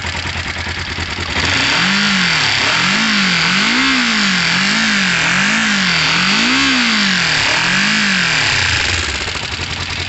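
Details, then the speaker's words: Motorcycle after cleaning the stator wiring and carbs, suspected dud battery; clean even revs rising and falling with throttle blips, no knocks or rattles: good running bike as it sits. "this is definitely a good running vine bike as it sits"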